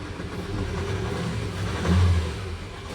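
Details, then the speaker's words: 2019 Nissan Terra automatic, diesel, revved to about 4,000 rpm: an uneven, stumbling roar that shakes the door; it misfires but now has power. The owner's concern is that it won't keep running. The fault was traced to injectors number one and four. "Ayan nanginginig pati yung pintuan sup palyado siya pero ngayon may power"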